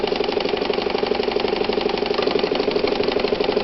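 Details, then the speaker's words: Probably early-1960s Japanese-made Calanda sewing machine built for Pfaff stores, high shank, left needle, manual zigzag, sewing a wide zigzag: even rhythmic chatter about three stitches a second over a steady motor whir; normal smooth zigzag stitching. "So the zigzag on this one, check this out, is up here, big wide thing. Make sure your needle's out of your fabric. You can be zigzag just for a minute, kind of like that."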